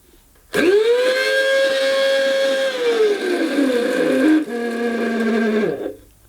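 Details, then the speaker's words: 1990s Goblin mains-powered handheld vacuum cleaner, sold as new but actually used, first switch-on: harsh, strained motor whine surging and sagging unevenly instead of a smooth hum, with a burning smell; abnormal motor noise, possibly near failure. "Go on then, just turn it on. Well, that doesn't sound right."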